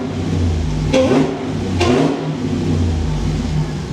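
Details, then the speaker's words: Hellcat Magnum with supercharger and Redeye intake, warming up: deep steady idle burble with two quick throttle blips rising and falling cleanly; supercharged V8 running healthily. "You can hear that thing just suck in the air in now. You can actually hear the supercharger. Listen to that thing sucking."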